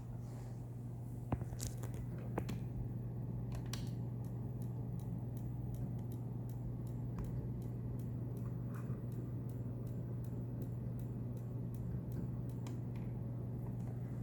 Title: Bricked Wii blue light ticking sounds